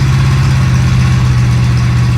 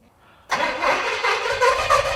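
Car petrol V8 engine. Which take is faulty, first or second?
first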